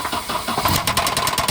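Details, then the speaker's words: Volvo at start-up: engine catches and runs rough with a quick steady tapping over the start-up noise; owner suspects rod knock, possibly from dried, split oil pump O-rings starving oil, not confirmed. "I really don't know why this thing's rod knocking. I'm gonna start it up in a second here so you guys can hear it."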